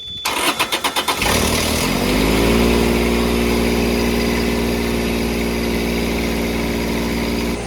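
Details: Kubota D722 diesel on a Carrier Supra 850 freezer unit, first start after sitting for years. A few slow cranking chugs, then it catches and settles into a steady, even idle with no knocks; starts and runs fine.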